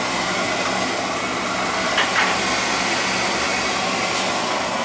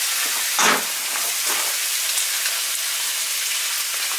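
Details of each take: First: Basement boiler with a leaking relief valve blamed on a bad expansion tank, fired after refilling: steady airy roar of burner fan and flame with a few handling clicks; burner firing normally. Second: Basement boiler whose relief valve, replaced a year ago, blows as it heats; suspected bad expansion tank: constant hissing, splashing gush as the relief valve dumps water right away while filling, before even running.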